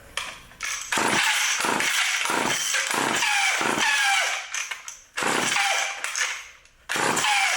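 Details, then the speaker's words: Old vintage Craftsman Power Sharp self-sharpening chainsaw, switch on, pulled repeatedly to draw fuel up: pull-cord cranking bursts about once a second, each dying away with no firing or catch; won't start. "it's not [Music] [Applause] starting see that'll help pull some of the fuel [Applause] up"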